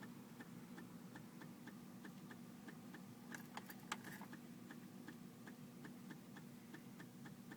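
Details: 2004 BMW 325Ci: light even ticking about 2.5 times a second over a faint hum, engine not turning over; no-start with ticking, cause unclear.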